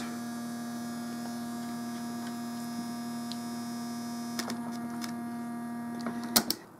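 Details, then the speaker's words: Homemade tape recorder playback preamp sharing one power supply with the tape motor: steady low electrical hum with higher whine, then clicks, during play/fast-forward, worse with ground disconnected; fixed by capacitor across preamp supply rails. "I'm sure you'll notice right away when I put this into play or fast-forward or anything that involves the motor turning that pretty much speaks for itself and that will get even worse but disconnect the ground"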